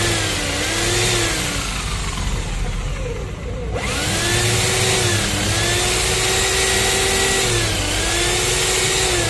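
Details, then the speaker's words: 13mm impact drill that won't hammer, in plain drill (steel) mode pressed against the work: steady electric whine that sags and recovers under pressure, smooth with no hammering. Normal in drill mode, but concrete mode sounds identically smooth. "nah saat mesin bornya ditekan suaranya terdengar halus"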